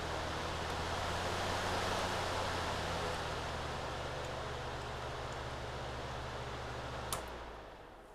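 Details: Lasko PN020350 floor fan after repair and maintenance (it had been noisy and hardly spun), switched through high and low: steady soft air whoosh with an even low motor hum, no rattle or scraping, then winds down; fan running cleanly.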